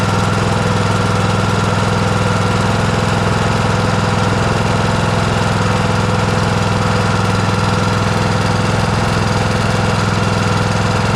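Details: John Deere S100 riding mower after its annual service (oil and filter changed, parking brake set): steady even single-cylinder chug at about 200 beats a minute, firm low hum, no misses. The engine runs healthy.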